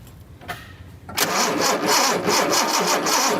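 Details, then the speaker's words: 1976 Datsun 280Z, fuel injected: starter spins the engine in a steady chug about three beats a second, never catches; no spark on a tested cylinder, plugs to be replaced; cranks but no start. "Okay, again, we do not have spark on this cylinder."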